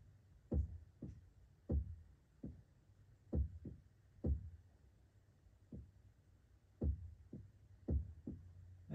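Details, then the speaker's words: 1995.5 Porsche 944 no-start, DME relay removed and terminals 30 to 87B jumpered: only dull, uneven low thumps about once a second from the rear, no pump whir; fuel pump motor locked up, fixed by replacing pump and tank-to-pump hose. "mine was given a thump in the back which meant that the motor was pretty much locked up but it was trying but nothing was coming up"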